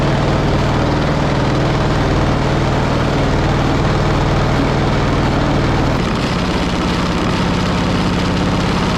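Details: Pony engine of a 1945 Caterpillar D7 3T that sat over 40 years, restarted while the main engine won't engage: loud, low, uneven chug with a heavy repeating knock of about three beats a second; glitter in the oil, owner suspects the pony engine locked up.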